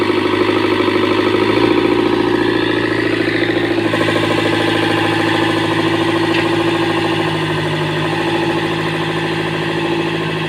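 Diesel idles rough and uneven, with an irregular knocking beat and a lumpy rhythm after a hard start, pointing to lost compression.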